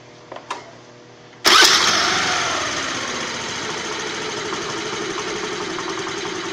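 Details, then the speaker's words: Hero Pleasure scooter, spark plug cleaned, mixture screw turned fully clockwise and idle screw raised clockwise so it will start: catches at once and holds a fast, even idle, running lean with raised idle before mixture setting. "अब इस condition में गाड़ी चालू नहीं होगी हमारी तो इसलिए हमें थोड़ा सा इस ये जो फिक्स एक्सलरेटर है इसको भी थोड़ा सा क्लॉक वाइज घुमाना होगा ताकि एक्सलरेटर बढ़ जाए"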